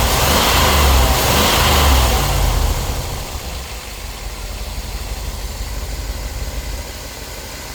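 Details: After a new ignition coil, cap, rotor, spark plugs and wires to cure spark tracking, the engine revs up cleanly and settles to a smooth, steady idle with no stumble; the misfire is gone.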